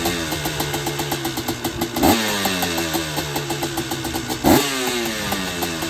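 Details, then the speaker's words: Honda TRX250R with a freshly finished Sparks Racing 265 two-stroke build: a crisp crackle with two throttle blips, revs rising and dropping cleanly, and no rattles or misses. The engine is healthy. "So we will transition to a clip of this bad boy running. We'll start it up and you can hear how it sounds."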